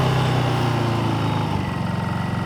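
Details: New Honda EU2200i inverter generator on first start: low, smooth, even hum with a soft steady pulse and no misses or knocks; healthy quiet idle.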